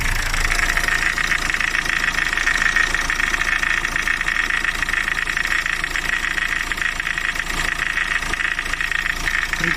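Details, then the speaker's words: Renault Laguna 3 running: a steady whine plus a fast dry crunching knock about three times a second, harsher under electrical load. It is clearly heard when listening at the AC compressor, not the alternator. The owner replaced the compressor bearing and suspects the clutch catching; AC compressor knocking. "вот когда конкретно кондиционеру прикладываешь на рабочей машине тогда ощущается бьет в ухо хруст"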